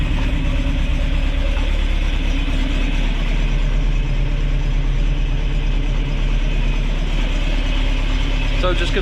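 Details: Ford crossflow race engine in a TVR Vixen, rebuilt with a loaned cylinder head, first start: strong even note with a steady low pulse, no knocks or ticks; runs healthy and pulls cleanly, not yet warmed up.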